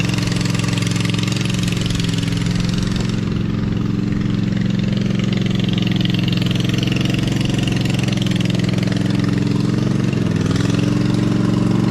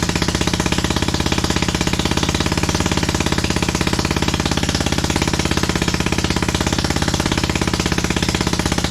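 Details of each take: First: Lesco Viper 54" zero-turn mower with a swapped-in V-twin, muffler on only one pipe, e-brake on. Starts and settles into a steady, loud, even chug with a brief dip near the end; normal running. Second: 27hp engine fitted to a Lesco Viper 54" zero-turn mower: lumpy, uneven thumping at idle with every other firing pulse missing, really running on only one cylinder.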